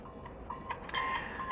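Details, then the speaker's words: Prototype Amazon Sidewalk smart smoke detector (Silicon Labs kit, simulated smoke sensor triggered by a push button): its buzzer gives short, even mid-pitched beeps about twice a second, the alarm sounding for detected smoke. "So at this point, a message is being sent, or has been sent, over Bluetooth to a Sidewalk gateway, over the public internet, to AWS, and now the fact that smoke is detected is reflected here in the web UI. And you can hear the beep, beep, beep of the alarm."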